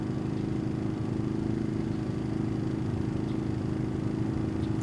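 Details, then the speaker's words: Genmax 4600iAEFIC fuel-injected inverter generator at low idle, heard from 23 feet away across grass and rocks that absorb sound. It gives a soft, even, distant drone with a steady pulse and no misses or knocks; it idles smoothly. "These are now showing pretty much the same, and this again is low idle, but the grass and the rocks really help absorb that sound."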